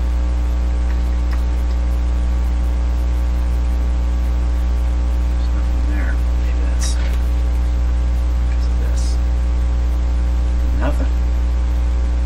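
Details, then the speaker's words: Sony PS-T22 direct-drive turntable, likely magnetic cartridge fed straight into mic system: only steady low mains hum, no music from record; no cartridge signal. "nothing i don't hear anything at all i just hear it through microphones here but let me cut my microphones right off something's not right"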